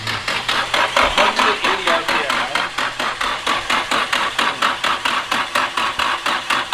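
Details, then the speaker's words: Nissan SR engine cranking on the starter, first rotation, turning for oil pressure: slow, even cranking, about two compression pulses a second, no tight or dead spot, no low-compression sound; turns over freely. "yeah you don't hear a tight spot or you don't hear a dead spot"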